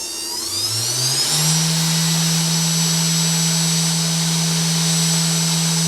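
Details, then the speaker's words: 3040 CNC router spindle on first power-up, motors not yet connected, switched on slow and then cranked up: spools up in about a second and a half to a steady, even high whine with no roughness or wobble; runs smooth and healthy. "And then let's try the spindle. We'll go slow. Oh yeah, it's working. And then let's crank it."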